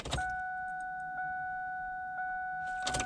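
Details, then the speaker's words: Stalled vehicle with a no-start, heard at key-on while checking fuel delivery: a steady high whine from the rear lasting about 2.5 seconds, likely the fuel pump priming; the engine later started with no check engine light. "we'll go ahead and listen for that fuel pump so we should hear a wine from the back"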